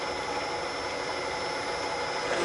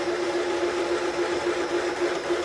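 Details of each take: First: Milling machine in back gear at 210 rpm, 0.006 in per revolution power down feed, boring aluminum Type 4 engine case for big bore cylinders with lubricant: steady even cutter hiss, bull gear churn beneath, no chatter; smooth healthy cut. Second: VW Type 4 engine case bored for big-bore cylinders on a milling machine at 210 rpm in back gear, 0.006 in per rev feed: cutting hum with rapid stutter three or four a second as cutter hits a ledge.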